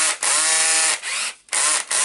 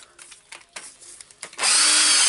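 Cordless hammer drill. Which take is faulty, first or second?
second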